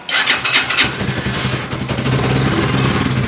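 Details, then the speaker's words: Italika Vortex 250 motorcycle after half engine overhaul, brought in for engine noise: after tightening the loose nut that caused it, quick start and even single-cylinder idle with no knock or rattle, though fueling sounds slightly rough, like poor carburetion. "vamos a prender para ver si sigue el ruido como ven no tiene ruido bueno el ruido habitual de esta moto"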